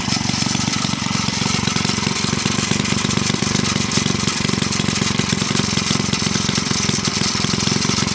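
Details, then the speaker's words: Villiers C12A small engine, unrun for about 25 years, choke off, no air filter: uneven chatter with harsh scraping, likely the flywheel or its loosely bolted cover rubbing the metal guard; runs rough, owner suspects partially blocked carburettor jet. "uh choke off so um I think the uh flywheel or the guard for is hitting the um the metal guarding sounds a bit nasty"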